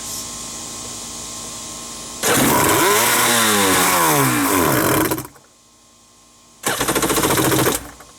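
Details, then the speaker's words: Wave Raider two-stroke personal watercraft that only started on starting fluid after fuel line, filter and check valve checks: buzzes up and sags unevenly, cuts out and catches briefly, won't hold a steady idle; reportedly runs at full throttle but won't idle. "i thought they told me that i could literally hold it full throttle and run but then it wouldn't like idle"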